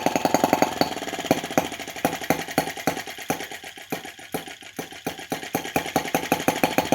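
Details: T16B Lanz-type brass half-tracked model tractor on its very first start, before being set on the floor: slow, crisp popping at about three to four beats a second, even and steady; normal, healthy four-stroke idle.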